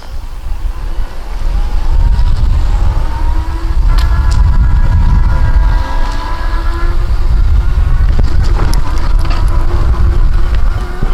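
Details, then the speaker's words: Hoveround MPV5 power chair with five-inch seat lift and HD geared motors, driven outdoors: geared motor hum rises and falls as it slows and picks up speed over outdoor rumble; normal for these high-quality heavy-duty motors. "regular motors these motors you can hear them when they slow down and when they pick up speed you'll hear the humming which is great that tells you you have good motors"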